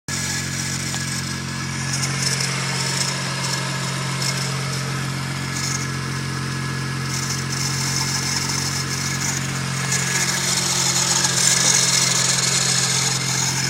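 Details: Toyota 1J six-cylinder idling: steady low hum under a hissy, whirring top end; belt-driven noise, owner suspects timing belt tensioner or power steering pump, not confirmed.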